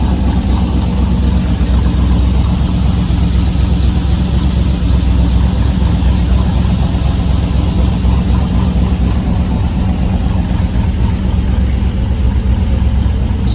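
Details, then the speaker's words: Flyin' Miata ND Miata with GM LS3 V8 and 525 cam, first start before ring seating: loud, deep idle with uneven, choppy loping beat; idles at high MAP around 55 kPa versus about 30 for a stock cam, so idles faster. "this particular car has the 525 cam in it. So as you can see, you can hear, it's a pretty lopey cam at idle."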